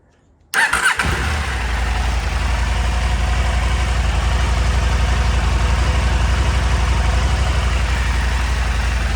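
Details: KTM 890 Adventure R cold start just after fitting Dirt Tricks timing chain tensioner and FuelX Lite fuel tuner; fires immediately into smooth even idle with no usual cold cam-chain rattle; normal cold start.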